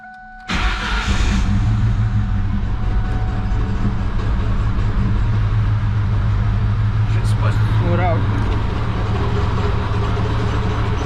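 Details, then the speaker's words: 2004 Mustang Mach 1 40th anniversary, 60,000 miles, with the mass airflow sensor unplugged: cranks and catches, then a very rough, lumpy idle with irregular stumbles; it started fine once the intake and sensor were back on. "all right i put a intake back on and it seems like to start perfectly i think it doesn't work without a masterful sensor"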